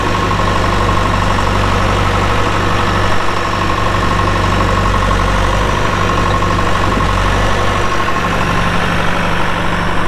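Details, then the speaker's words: 2001 John Deere 450H LGP dozer with 9,548 hours holds a steady, even diesel idle with a deep rumble and no knocks or misses. The seller says it sounds good, starts right up, with no excessive smoking. Normal idle. "Engine sounds good, starts right up, no excessive smoking."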